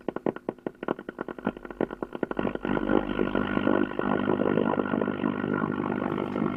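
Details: 1953 Ever Ready Sky Queen radio: quick pulsing putter settling into a steady rough buzzy drone; droning hum fault, cause unknown.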